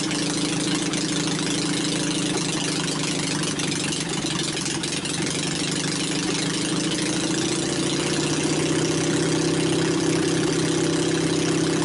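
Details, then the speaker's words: Onan 22hp opposed twin with retrofitted points ignition and new battery, temporary setup with ignition wire lying on the exhaust: steady, even beat, then picks up speed smoothly; no misses or knocks, running well. "I'd say it sounds pretty good course it don't help that uh my ignition wire was laying on top of the exhaust"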